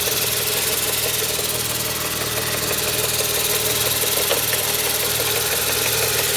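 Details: Mercedes-Benz 500CL with M119 V8 at idle: light, fairly loose metallic rattle about two per second over the engine; timing chain noise suspected, not confirmed.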